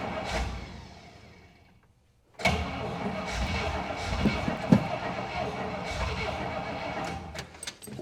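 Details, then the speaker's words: 1961 Buick Electra 225 with 401 Nailhead V8, idle turned up half a turn: cranking stops, then it catches and runs lumpy and surging, struggling to idle; hard start and rough running, needing a carb rebuild and tune-up. "You know what, guys? The car needs a tune-up. It needs a carburetor rebuild. And needs a radiator flushed."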